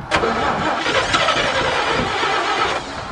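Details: Old 427 dump truck that has been sitting, choke pulled and gas pedal pumped: uneven starter cranking around four beats a second, engine never catches; likely flooded from pumping the pedal too much.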